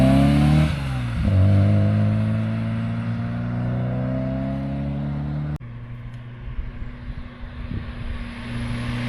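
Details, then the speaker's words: MG Metro with rebuilt A+ Series 1310cc engine, high-compression pistons, new cam, HIF44 carb and Maniflow exhaust, first drive: engine note climbs cleanly, drops at a gear change, pulls on smoothly with no misfire; normal acceleration. "Wow, honestly, wow. That engine pulls amazing. Absolutely amazing."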